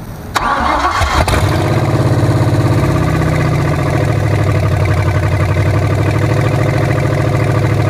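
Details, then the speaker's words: Ford Maverick converted to EFI with junkyard parts, first start after it would not stay running: brief crank, catches and settles into a steady even idle with a smooth low rumble and no misses; running healthy. "again [Music] yo we straight now baby this oh let me turn this fuel pump off oh man engine sounds good"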